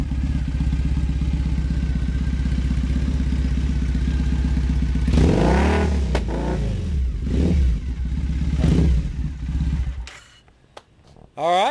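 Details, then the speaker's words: Customized Triumph Bonneville bobber/drag bike just after start-up: even, lumpy twin idle, then several crisp throttle blips ("give it a little rip") climbing and falling back cleanly; normal revving, healthy engine. "Give it a little rip. Give it another rip. It's great. It sounds so good. It's just incredible."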